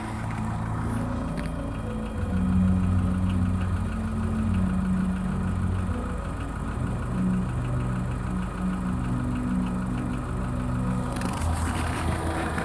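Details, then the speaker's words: Skoda Fabia 1.4 at cold idle: dull, low knocking about three to four a second from the bottom end near the timing belt side; dealer says piston slap and normal, cause unconfirmed; hydraulic lifters also slightly audible cold. "Итак, интересует, что это за звук. Никто толком ничего сказать не может. Больше всего его слышно где-то снизу."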